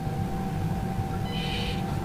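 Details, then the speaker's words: Axial SCX24 crawler on a bench test: a thin steady high whine over the motor hum at about 2 mm trigger pull, before engagement; the V2 ESC has none. Speed-controller whine at low throttle. "so there's the wine that's at about 2 mm pull and then we got engagement a millimeter or two later"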